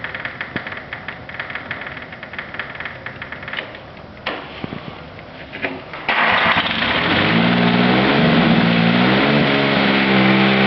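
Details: Cub Cadet 1572 with a Kubota diesel: about six seconds of even cranking, near four turns per second, before it finally catches and settles. Hard starting.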